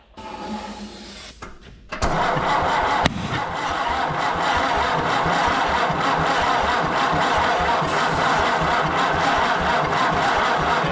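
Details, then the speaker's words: Massey Harris 30 tractor started on ether: starter cranks, then a rough uneven chuffing run that never settles; ignition timing off, with number 1 set wrong on the distributor (assumed clockwise, actually counterclockwise), later reset. "Yeah, we might have to check the timing. No, not the time. Or which one's one. So how? All right, so we just had to reset the timing. I had it off."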